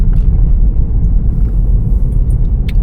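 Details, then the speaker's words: 2018 Vauxhall Corsa after replacing worn front shock absorber top mountings, tyres at 32 psi, reversing then driving: steady low road rumble and tyre noise with the previous front-end knock gone; suspension sounds sound. "Straight away, I can hear that the knocking noise that it did have has disappeared."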